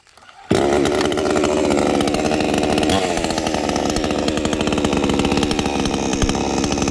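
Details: Krathing Dam model 6000 two-stroke chainsaw with a 45.2 mm piston, started with the choke after sitting 2–3 weeks: a loud, steady, even buzz that holds revs with no misses or knocks, running healthy.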